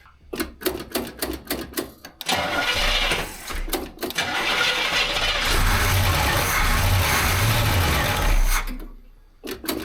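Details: 1968 Camaro SS 396 big block, one owner, first run after sitting 26 years and appearing locked up: rhythmic cranking, then the V8 catches and holds a steady, lumpy idle for several seconds before cranking resumes; normal idle.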